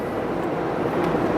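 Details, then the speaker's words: 2002 Dodge Neon 2.0L automatic, warmed up after about five minutes: after revving near 3500 rpm, apparently stuck in 2nd, it shifts up, rpm drops, and an even smooth road and drivetrain rush follows; driving normally. "the car shifted the rpm went down now the carpet the cars back to normal"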